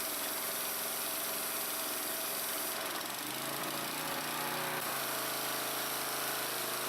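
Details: Briggs & Stratton-powered Troy-Bilt pressure washer from about 2003, test run after a water pump replacement: small petrol engine holds a steady speed with a smooth buzzing drone that shifts briefly as load changes; the new pump works normally.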